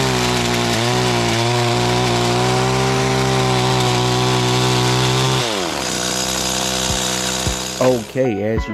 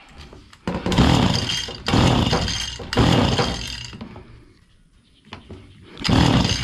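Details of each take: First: Stihl FS85 trimmer after repair (missing fuel bulb replaced, reversed return and main fuel lines corrected), cutting overgrown bushes: high, steady two-stroke buzz holds well under cutting load, then drops cleanly off throttle; running normally. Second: Stihl FS85 two-stroke hedge trimmer, fuel refilled, primed, leak noted: catches and revs to full throttle in short bursts then cuts off each time.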